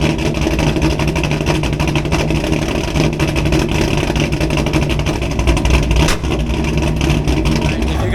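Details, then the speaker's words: Camaro V8 being chased for a misfire with no codes thrown: deep idle lifts briefly on its own with no throttle, then settles; spontaneous idle surge, cause unknown, owner also suspects a lower exhaust leak for a knocking noise. "you guys heard that rev Spike that wasn't me like it just did it by itself so I don't know what's causing it to do that but it's just spiking revs by itself"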